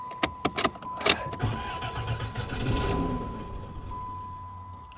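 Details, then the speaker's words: 1992 Dodge Dynasty bought at auction listed as run-and-drive, fuel primed with good battery voltage, gas gauge below empty: short grinding cranks, it briefly catches then stumbles and dies; crank no start, cause unconfirmed. "uhoh yeah well the good news is it tried to [Music] start there she goes there she goes oh she don't she don't run"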